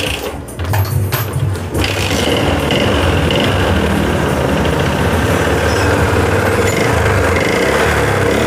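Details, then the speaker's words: Yamaha Jupiter MX 135 motorcycle smoking white: after startup a rough idle with steady rapid knocking from the piston area or middle of the engine, not yet checked. "di sini ada suara ketukan itu ya di bagian pistolnya atau di bagian tengahnya ini ada bunyi ketukan belum saya cek ya"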